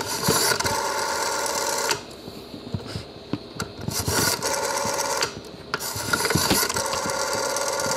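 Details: 1953 Western Electric 500 rotary phone: even whirring ratchet runs of about a second and a half, each followed by a pause, as the dial returns; dial mechanism works normally.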